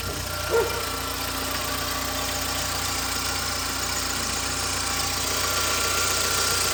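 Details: 2009 VW Gol G5 at idle running Castrol GTX 20W50 mineral oil, which is not recommended for it; the owner suspects a strange noise: steady idle with a fast ticking clatter over a hissy top end; the problem was the oil.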